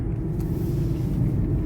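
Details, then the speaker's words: Taxi driving. Deep steady drone under the road rumble, like a propeller plane sound effect in a movie. "Don't you hear that? It sounds like a sound effect for a propeller plane"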